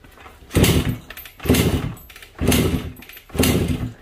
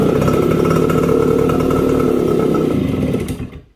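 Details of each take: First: Suzuki AX100 with kill-switch wire reconnected: four kicks about a second apart, each a short thumping churn with no firing; bad contact in switch wiring steals the spark, causing no-start despite new ignition coil. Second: Suzuki AX100 (100cc) after disconnecting the faulty ignition-switch wire that was robbing spark: starts immediately on kick and runs with a steady, even two-stroke buzz for about three seconds before shutting off, normal.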